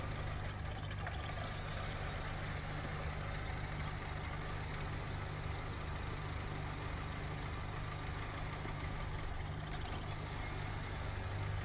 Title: Spark Plug Damage – Engine Misfire, & Power Loss” #automobile #mechanic #cylindermisfire